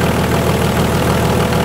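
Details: VM/BMW D190 marine diesel, first start after rebuild following a broken valve, with liner, piston and head from a VM 2.4 L: dense, uneven idle clatter with a lumpy beat; air drawn in past a leaking seal at the front of the injection pump, air visible in the return hose.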